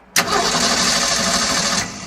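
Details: 1965 Ford Econoline pickup, restored, restarted on choke after exhaust-leak work and a puff of smoke: a short burst of starter cranking, then quiet, never catching. It cranks but won't start; a knocked-off coil wire or a missing port block-off is suspected.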